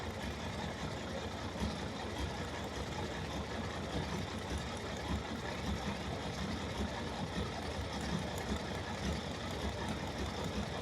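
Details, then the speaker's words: Ferrari 365 GTB/4 Daytona Spider V12 at idle: a deep, lumpy, irregular beat from cylinders misfiring; removing one plug lead makes no difference, confirming that cylinder is dead. "disconnect the plug lead which probably won't make any difference to the way the engine is running just being super careful with this yeah no difference"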